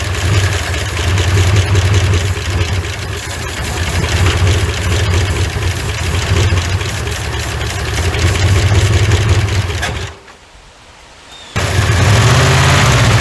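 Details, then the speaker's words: 1981 Ford F100, revived after sitting 24 years: steady low churning crank for over ten seconds, choke working, never catches; no start because the fuel hose wasn't in the gas tank. "it should had plenty of time to uh get the fural up here unless I don't have it plugged in I don't think I got it sticking in the gas tank do I no sir"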